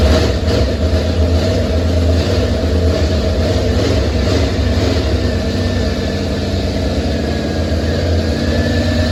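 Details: First start of the old engine: lumpy, uneven idle with a loose rumble; caused by a stuck carburetor float needle and seat and a vacuum leak, since fixed.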